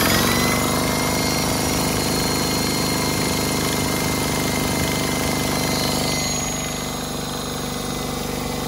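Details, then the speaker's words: DeWalt D55146 air compressor, 1.6 hp motor, after belt replacement, steady rapid pumping beat about three and a half per second without squeal or slap; normal running, slight air leak noted. "So, but it sounds good. It's back together right. The tension feels like it's right."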